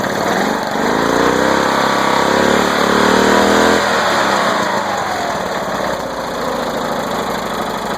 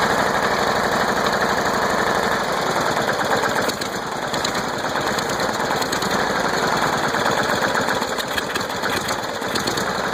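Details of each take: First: Flow Jet mower engine on first start after being flooded with mossy dirty water, only the starter cleaned; it picks up, revs unevenly, then settles into a slightly rough run while still kicking out leftover water. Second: Small engine's first start after being flooded with mossy water, with only the starter cleaned and manual choke used: steady fast putter, a bit rough but holding speed without missing or dying; running fine.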